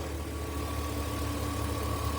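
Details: Engine idling after a new AC compressor clutch and water pump were fitted, replacing burned-up original parts and a bad bearing; a steady, even idle with a smooth low rumble and faint constant hum, no knocks or squeal. Normal idle.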